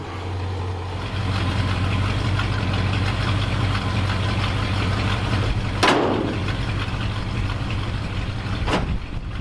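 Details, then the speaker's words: 1966 Ford F-250 V8 with dual exhaust, warming up on choke at 42°F after a new battery and tightened exhaust hangers: a deep, steady burble with even firing and no ticking or knocking. This is a normal warm-up idle. "man he sounds good love that dual exhaust"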